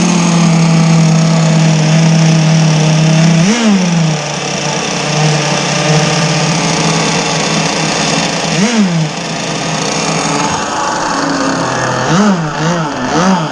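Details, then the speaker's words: Zenoah 30cc two-stroke RC boat engine, warmed up, bogging under throttle at about three-quarter throttle: high buzzy note sags and stumbles instead of climbing; carburettor suspected, low and high needles to be leaned. "Okay, I killed that because I was giving it gas and it was like bogging."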